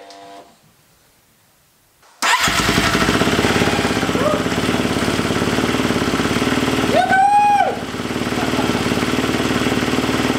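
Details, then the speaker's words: Husqvarna FE350 converted to FE 366, first start after a full rebuild, with the spark plug wire reseated and idle raised slightly: brief crank, catches at once and settles to a steady idle with a small throttle blip. Starts and runs cleanly. "And then after that you just raised the idle a little bit, right? Just a little bit, cranked right over."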